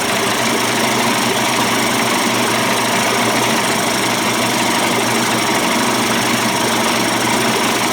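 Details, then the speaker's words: Johnson Evinrude 25–35 hp two-stroke outboard conversion idling after bypass cover swap and low-speed cam adjustment: steady, even buzz with no misses; sounds better than before the changes, normal idle. "sounds sweet sounds better than it did before I changed the uh the bypass cover and adjusted the cam"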